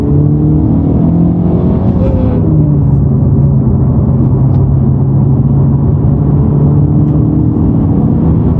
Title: Honda Civic Type R buzzing sound when clutch depressed